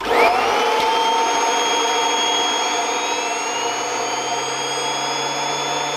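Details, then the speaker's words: Kirby Avalir vacuum with stretchable hose driving the turbo sander: steady vacuum roar with a high airy whine that sags in pitch as the hose is stretched, reducing airflow and slowing the sander. "so you could hear as i was stretching that it was reducing the airflow and the speed of the sunder"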